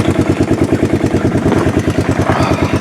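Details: Revived 1988 Yamaha Moto 4 ATV, restarted in neutral: even, steady thump about three times a second, no misses or knocks; idles smoothly.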